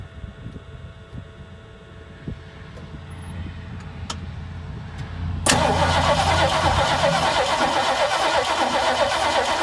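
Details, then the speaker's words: 1968 Mustang, sitting 8 years, new battery: the starter spins the engine in a steady, even churn about three times a second, but it never catches; crank, no start. "It's got a carb issue for sure."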